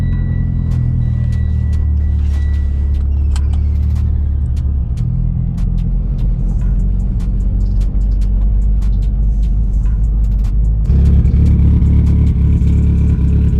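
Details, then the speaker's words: Mitsubishi Evo X with new cams and no tune yet, on its first short drive: loud, raspy exhaust with ticking puffs that grow with throttle. Exhaust leak through the open wideband O2 sensor hole in the downpipe. "This thing is sounding kind of funny because it's missing the wideband O2 sensor, so there's like a hole right in my downpipe."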